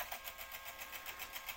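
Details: Jaguar XJ8 X308 CD changer: fast even whirring chatter when loading or ejecting while nothing happens; loading arm not doing its job, stripped gear in the mechanism.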